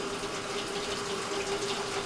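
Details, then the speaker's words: GE WJSE4150BZWW top-load washer after replacing the WH13X10024 inlet valve for no-hot-water fill: steady rushing water filling the tub with a faint hum underneath, hot water now flowing normally. "so obviously we have hot water coming through now"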